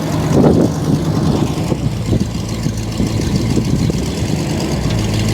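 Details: 1964 Mercury Montclair four-door, abandoned in the Arizona desert and last registered 28 years ago: steady, smooth V8 idle with no knocks or stumbles while in gear; transmission solid, engages immediately; normal idle in gear.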